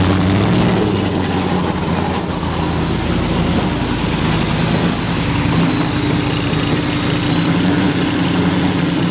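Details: Ford Mustang with Coyote V8 swap, first start, no exhaust, stock injector tune with 62-lb injectors on one wideband; loud lumpy uneven idle without knocking; runs rough because the fuel tune is far off.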